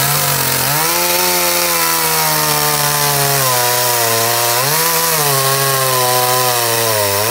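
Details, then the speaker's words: Stihl MS 211 chainsaw (2012), which started cold but would not run warm or hold adjustment, tested outdoors after carburetor cleaning and reassembly; revs up and falls back cleanly under throttle without stalling or bogging, normal running. "wir werden jetzt die ganzen Sachen wieder montieren und dann werden wir die Säge draußen mal testen ob die auch läuft"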